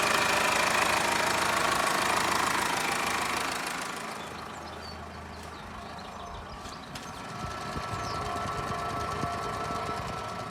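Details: Subaru EE20 diesel after bearing-bed repair with new D16T duralumin beds: fires with a loud rush, then settles to a steady even diesel clatter at idle with no knock; runs healthy.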